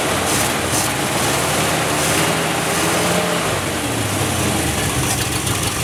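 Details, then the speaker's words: 1967 Chevy one-ton pickup, first start after purchase with a little fresh gas added to the tank: lumpy, uneven running with wavering speed, stumbling rich; the engine is flooding. "sorry well she uh runs half F there she's flooding she flooding she probably won't start now but let's start it and let's run the fuel out"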